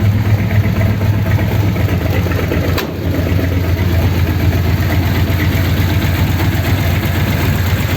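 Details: 1932 Ford sedan idling after a fix for a problem on the way home, with roughly a litre refilled, started to check for leaks: steady, low, even idle with a smooth regular beat, no stumbles or knocks; healthy.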